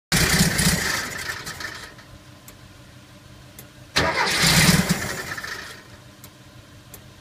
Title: Engine won't start 2 again